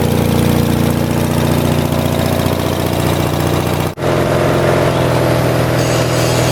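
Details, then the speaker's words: 1978 Lincoln Lincwelder 225 engine-driven welder, single cylinder, cold start after ignition spark problem fixed, carburetor and governor not yet fully adjusted: steady brisk idle with one brief dip; otherwise runs cleanly, normal. "so anyways we'll roll this out and we'll fire it up and this is going to be a cold start I haven't had this running since yesterday when I got home from work"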